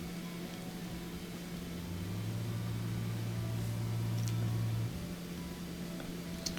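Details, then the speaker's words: Kenmore dishwasher not draining, run in drain mode with the door closed: a steady low motor hum with no cavitation or water rush, so debris is probably blocking the drain pump impeller. "I can pretend to hear the motor humming but you don't hear the cavitation or the sound of water moving around so I got a feeling something's probably blocking the im"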